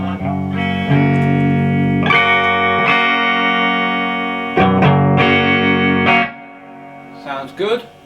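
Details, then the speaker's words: VOX AC30 reissue amp powered up with new valves after a no-output fault: clear, full, crunchy guitar chords at full wattage with no hum, crackle or dropouts; normal amplifier output. "great that sounds absolutely great"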